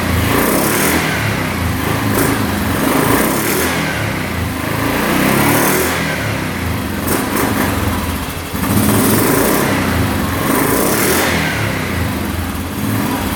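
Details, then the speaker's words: 2009 Yamaha Grizzly 550 EFI single-cylinder ATV, running with the airbox off; blips rise and drop back cleanly with no throttle hang or over-rev, so it is revving normally. "Alright, so far so good. Throttle's not getting hung up at all, not over revving."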